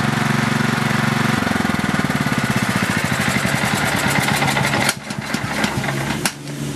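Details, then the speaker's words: Craftsman LT4000 riding mower engine idling until shut off: fast, even tick over the idle; owner thinks it's the valves, not sure. "me shutting it off i think that noise is the uh valves i'm not 100 sure uh most likely this engine doesn't need the valves adjusted"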